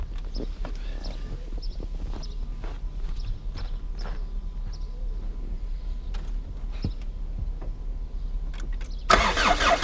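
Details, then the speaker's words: Old Chrysler Voyager diesel cold start at -17°C using ether starting aid: slow, uneven starter cranking drags on with no catch; long hard start, glow plugs suspected. "не все так просто в такой мороз завестись поэтому буду использовать эфир для легкого старта"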